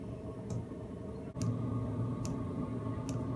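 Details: Cheap eBay 12V 5kW diesel air heater on a bench test, on the low setting, drawing about 0.6 A: soft, steady clicks a little under once a second over a low fan hum; fairly quiet, normal dosing pump ticking.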